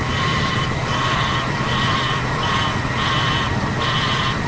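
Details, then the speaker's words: Vintage RV with Chevy Hydroboost after replacing a leaking power steering hard line: steady high whine with a hissy surge about every three-quarters of a second over idle; air in the fluid, needs bleeding. "same sound whether it's the brakes or it's the uh power steering so i'm gonna work on i'm gonna bleed that out and uh get it all fixed up"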